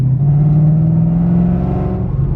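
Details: Ford Mustang Shelby GT500 with windows up, after muffler fix for a creak heard when slowing: deep steady drone rising gently as the car pulls, no creaks or rattles; exhaust and engine sound healthy, noise gone.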